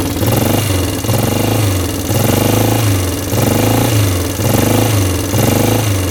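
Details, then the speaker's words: 1998 Yamaha Grizzly 600 ATV, cold start on choke, idling with no smoke; light quick ticking over the thump and an uneven surge about once a second; valves heard ticking, probably not tight; it keeps shutting off and won't exceed about 10 mph. "I can hear the valves ticking in there, so those probably aren't tight."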